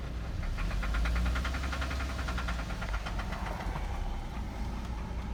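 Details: 2008 Cadillac CTS at idle: quick, fairly regular ticking knock about three to four per second over the idle; engine knock, source not pinned down.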